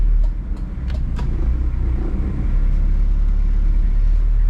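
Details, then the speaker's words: 2003 Toyota Kijang Kapsul LGX diesel 2L after repairing the gear lever bushing, which vibrated and buzzed above 2000 RPM: even low diesel drive rumble, no rattle or buzz from the lever; shifter firm and quiet. "Tapi ini bagus, tidak ada suara bising dan roda giginya terpasang dengan kuat tanpa ada celah. Dijamin enak. Tidak ada suara."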